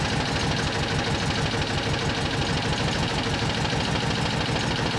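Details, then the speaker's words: Citroen 2CV about 120 miles after an engine overhaul, idling after an exhaust clamp blow was cured by hammering the clamp: even, quick low putter with no puffing or ticking; exhaust now sealed and healthy. "Oh, that's definitely a bit better."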